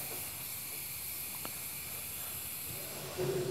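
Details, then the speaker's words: Compressed air at about 90 psi from the shop compressor flowing through a new 3HP ATC spindle (Grizzly G0704 CNC mill). Steady airy hiss with no sputter or pulsing; air supply flowing normally. "okay I'm not sure if you can hear that but we definitely have air coming out through the spindle now"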